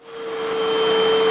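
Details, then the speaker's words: Hoover upright vacuum UH7103 after filters cleaned and reinstalled, first clog cleared: motor spins up to steady high whistle near 500 Hz over airflow rush; remaining clog restricting suction deeper in hose. "All right, so we have another clog. It shouldn't be making that noise. There's some restriction down in there, so there's probably more stuff in there."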